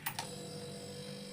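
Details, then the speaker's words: Single-door fridge compressor on a clamp meter: two sharp relay clicks, then a low steady hum drawing 0.4 to 0.5 A with no labouring; normal compressor start. "तो दोस्तों compressor तो हमारा शुरू हो गया है और एंपियर भी देख सकते हैं 0.5 0.4 इस टाइप से एंपियर ले रहा है"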